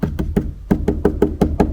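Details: Nine dull, clean hand taps on the left-side trunk panel of a Renault Arkana during sound-deadening work, no buzz or loose rattle after each knock; panel sits tightly, unlike the loose metal plate elsewhere.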